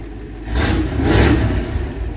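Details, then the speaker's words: Used 318 Poly V8 (stated as 1964 and as 1965) from the Flagship truck, first start after installation in a 1966 Dodge W200 Power Wagon 4x4, with exhaust dumping just behind. Picks up cleanly into strong revs with an open, throaty note. Healthy. "you know this old engine always ran fantastic in the flagship she's got a great exhaust note because she dumps out right there look at that"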